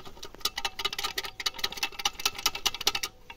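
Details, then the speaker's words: VAZ-2109 1.5 petrol after head gasket, timing belt and water pump replacement, valves adjusted with perfect clearances: sharp ringing metal-on-metal ticks over faint engine hum, from loose metal debris found inside the engine. "Какие-то опять стуки такие звонкие, как будто металл об металл бьёт."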